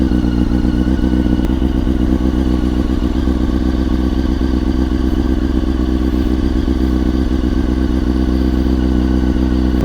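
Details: 2000 Honda CBR929RR Fireblade with Erion Racing exhaust, after rebuild and clutch adjustment, startup before shakedown ride: even, deep exhaust drone at steady idle for ten seconds, no misses, knocks or rattles — healthy running.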